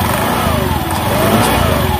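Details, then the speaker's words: Honda Beat ESP scooter that would not start on the starter, never serviced since purchase, after repair: even, smooth engine hum with gently rising and falling pitch, no knocks or rattles; starts and runs normally. "Oke selanjutnya kita starter perhatikan mesinnya Oke ini sudah hidup hidup normal Saya rasa ini sudah bisa dibuat jalan ya"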